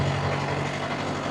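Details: Steady, even diesel drone with a constant low hum, no knocks or surges, from a two-compartment reefer with both compartments on, C2 setpoint being lowered; normal running.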